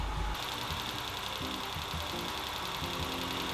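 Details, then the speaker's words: 1993 Land Rover Defender 90, 2.5 L turbo diesel, first run after new fuel pump: steady idle with light quick ticking in time with the engine; valve tick, valve job planned, owner hopes not oiling or bearing issue. "Unfortunately, as you can probably hear, it has a valve tick. We're going to give it a short test drive tomorrow to rev it up a bit, but looks like we'll be doing a valve job."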